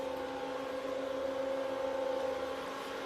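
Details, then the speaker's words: Used L3+ ASIC miner with cleaned hash boards and new cooling fans, on test at about 54–58° temps: smooth, even mid-pitched whir, no rattle or wobble. Low temps need little cooling, so fans run at low speed; normal. "So you can hear the fans are really spinning like really low at low speed, because of the temperatures are still very low, so it doesn't require a lot of cooling."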